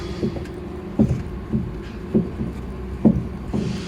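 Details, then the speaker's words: Lada Priora, tie rod rocked by hand: dull low clunks about two a second from the steering rack, cured by tightening the rack adjuster a quarter turn, not a failed rack or suspension. "салам алейкум друзья сегодня у нас приора со стуком в рулевой рейке обратите внимание как она стучит"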